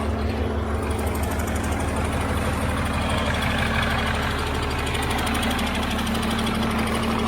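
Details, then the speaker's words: Cummins diesel in a Land Rover Defender, first start after engine fitting, no coolant, short run, leaking oil and transmission fluid: loud even clatter at steady speed with no misses; normal diesel running. "so at least we know it runs nicely now I'm pretty chuffed with that"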